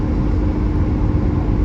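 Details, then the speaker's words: 1982 BMW E21 320 straight six, over 40 years old and low mileage, with a 3-speed automatic, accelerating on a drive, heard from the cabin: a full, even drone pulling cleanly with no misses or knocks; healthy. "You can actually hear that sort of the beautifully sonorous straight six"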